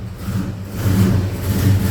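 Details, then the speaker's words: Holden HQ four-door with a small-block Chevy V8, sluggish complaint, started cold and running rich; deep V8 burble that stumbles and lopes, with the engine bouncing fiercely on constant revs. Cylinder misfire from fouled spark plugs due to an over-rich carburettor. "I don't know if you can hear that that's a uh a very bad misfire I moved to the engine bay hopefully we can keep it going all right so you can see on a constant rip we've got that misfire see the engine bouncing quite quite fiercely"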